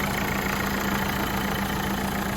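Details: Renault Fluence after starter motor replacement (old starter faulty, wouldn't crank), diagnostics plugged in: engine starts and settles into a steady, even low idle with no knocks, misses or starter grinding; healthy.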